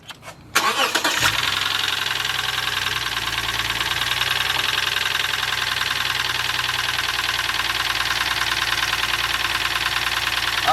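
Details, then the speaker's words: Lexus towed in with heavy engine knocking, check engine light on: starts and idles with light rapid tapping, seeming to come from the even-numbered cylinder bank, possibly near cylinder two; source not pinned down. "so it knocks coming from this side so it goes one two three four five six even numbers here add numbers right here"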